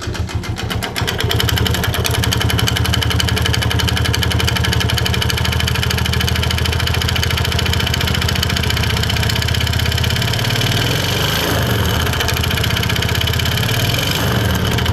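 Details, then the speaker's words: Yamaha Vega Force motorcycle with very rough engine noise: coarse, uneven rattle over the idle swelling with slow revs; connecting rod suspected as source, not confirmed. "jadi kalau sementara untuk prediksi saya sementara ini suara setangnya jadi suaranya itu dari sedang ttttttttt"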